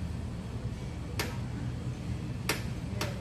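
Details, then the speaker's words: Honda CR-V whose rear shock absorber, bushing and stabilizer link were already replaced but still knocked. With the front passenger-side wheel rocked by hand, three sharp isolated knocks come from a loose lower arm bolt. "sa pakinig ko, dito sa harapan nang gagaling yung sinasabi niyang ingay at hindi sa likuran."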